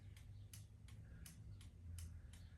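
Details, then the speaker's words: Honda CL70 K3 with a Lifan 125cc 4-speed semi-automatic engine, right turn signal on: crisp, evenly spaced flasher relay ticks about three a second over a low idle rumble. Normal clicking; the tail light also flashes, likely a ground issue. "So let's go right turn signal. I hear the flasher flashing."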